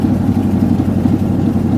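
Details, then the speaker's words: 1988 Chevy Silverado V8 pickup, neglected, fuel-injected, on fast idle just after starting: loud chuffy idle with raw puffing beat; owner thinks there is a hole in the exhaust, also smoky and needing valve seals. "I think there's a hole in the exhaust. Definitely."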